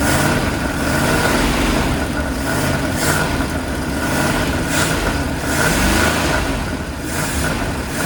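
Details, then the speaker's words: Abandoned 1979 Dodge B200 Maxivan on its revival start: lumpy, uneven beat that surges and sags as it revs; runs rough, possibly misfiring on a cylinder. "it sounds good I can't tell it sounds very strange to me but it's running and does it sound like a misfire sounds sounds kind of funky"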